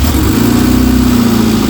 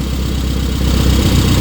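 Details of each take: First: Rover Mini on a freezing day, first run since September after new plugs and a new air filter, idling cold with a loose, uneven puffing chuff over the engine beat; exhaust leak at the down pipe. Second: Rover Mini project car in a freezing garage, warm engine at idle with temperature gauge mid-way between hot and cold: even, steady putter at a settled idle with no misses, knocks or hunting; normal warm idle.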